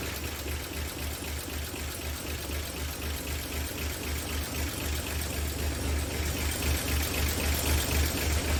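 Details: 1959 NAPCO Chevy Apache 1-ton, rebuilt 235 six-cylinder, just after first startup with oil pressure and no leaks, timing not yet checked: low, even burble with steady firing rhythm and no knocks or ticks; normal idle.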